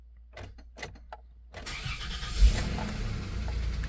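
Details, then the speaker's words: 1993 Plymouth Grand Voyager SE, Chrysler 3.3/3.8 V6, revived after 18 years parked (last on road 2006), MAP sensor replaced, fuel rail rebuilt: faint clicks without cranking, then the starter catches and cranks steadily. Owner suspects a sticky relay, as the starter seems fine. "it might just be a sticky relay to be honest cuz the starter seems to work fine"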